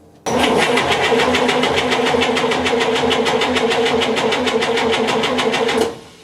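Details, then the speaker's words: 1958 GMC Apache pickup, left outside 3+ years, compression test on cylinder 4: even cranking about five seconds at roughly three pulses a second, reading about 140–145 psi, healthy. "Another good 140. In fact, we're probably getting really 145 there, let's just call it 140."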